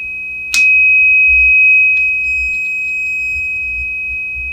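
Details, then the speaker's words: 1949 Silvertone Model 8004 AA4 AM radio under restoration, a loose connection suspected: a clean, steady high test tone through the speaker without crackle or dropout; the audio stage works. "It works. It's just must be a loose connection on that."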